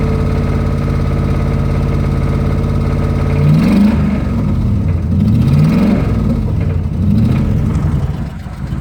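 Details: 2005 Dodge Ram Hemi V8: deep idle then several revs with a dull knock tracking engine speed; rod knock.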